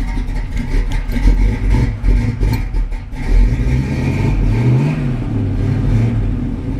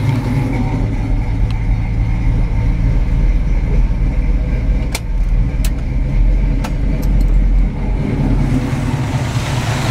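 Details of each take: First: 1968 Pontiac Firebird on a hot day, run about 2-3 minutes, 50 psi cold oil pressure, temperature about 160: deep throaty burble swelling with a couple of throttle blips and settling smooth; healthy engine and exhaust. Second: 1968 Pontiac Firebird V8 at idle with the AC compressor shut off: a tight, deep idle with a faint occasional tick, possibly slight lifter chatter, definitely no rod knock.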